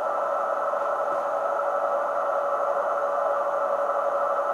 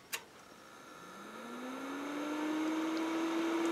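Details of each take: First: Kenwood TS-950S HF transceiver with a deaf receiver: a 14 MHz generator signal fed into the RF unit is barely audible as a faint tone in hiss. Weak receive signal. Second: Kenwood TS-950S HF transceiver at switch-off: a click, then the fan hum climbs smoothly over two seconds and holds; normal, the fan run-up discharges the main capacitors.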